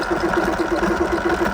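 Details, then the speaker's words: Sur-Ron electric bike, motor overheated (about 185°) and stranded ~10 miles from home, in mode one eco at full throttle doing ~3 mph: low drone pulsing about seven times a second without rising; motor labouring under load, owner believes motor is toast. "If I ease off the power, she does move. But as you can hear, I think that is absolutely toast."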